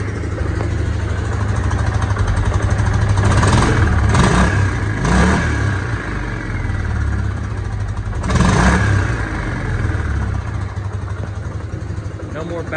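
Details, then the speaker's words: Hisun 550 UTV single-cylinder after replacing the clogged fuel injector and adding a 30-micron fuel filter: steady idle with several quick, clean throttle blips and no popping; it idles far better than before, when it wouldn't stay running. "is this sounding better idling a lot better you heard before it wouldn't even stay up running [Music] oh that sounds good i'll give her a quick rev up for you"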